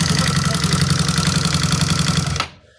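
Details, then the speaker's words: Honda CBR150 that is hard to start, at idle: loud, clattery idle with fast, even pulses before it cuts off. Noisy top end; camshaft being checked. "Narinig niyo mga bro yung andar medyo maingay siya. So ang gagawin natin dito mga bro ay bubunutin natin to. Ano kasi iche-check natin mga bro yung camsop nito."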